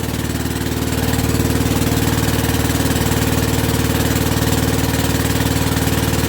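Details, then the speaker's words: Rebuilt WW2 generator at first start on its original piston, now warm, started with about a quarter choke despite a petrol tap leak: a steady, even idle of about four beats a second with no misses or knocks and no smoke. Normal idle. "And she's not smoking, look. Not smoking at all, even with that warm piston. Wow, there we go, guys. There we go. Absolutely spot on."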